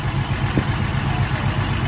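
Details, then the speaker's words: Engine idling in neutral after about an hour of idling: deep, even exhaust pulses with no misses or tapping. It idles fine sitting still; the owner suspects a sticking exhaust valve. "It idles fine as long as it's just sitting there."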